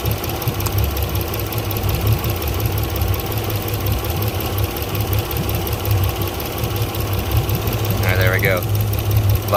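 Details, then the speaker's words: Port Yamaha outboard on a 385 Pursuit: uneven, shaking idle with irregular low thumps during the coil-pull test; the bottom cylinder, number five, is not firing. "cylinder on the port side not doing anything okay so i turned it off it's the bottom cylinder which is number five on the starboard side"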